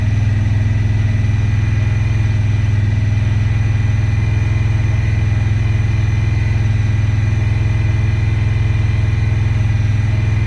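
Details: 2017 Honda Pioneer 1000-5 with code 9-2: high, slightly uneven idle that sometimes won't go into gear. The cause was factory over-crimped wires broken inside the insulation at the IACV plug on the throttle body; the plug was replaced and re-crimped.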